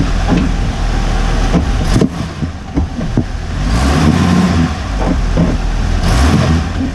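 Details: Hummer H3 driving: irregular dull clunks through low road rumble from the front end; owner suspects the recently fitted new front differential bushing was installed incorrectly or is poor quality.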